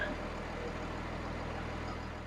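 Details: Dodge with a 24-valve 5.9 Cummins diesel, just after a cam position sensor replacement (tach still not working): steady, even diesel clatter with a constant low hum. Normal smooth idle.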